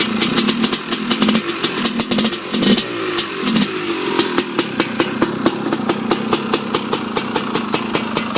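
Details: 1987 Honda TRX250R first minutes after complete rebuild with new late-model main and transmission bearings, main seals, Honda crank and ESR 310PV cylinder: crisp two-stroke crackle revs and settles to steady popping idle; healthy, runs like new.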